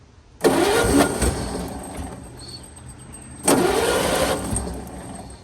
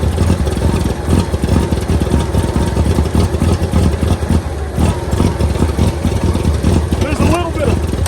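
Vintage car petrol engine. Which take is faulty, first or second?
first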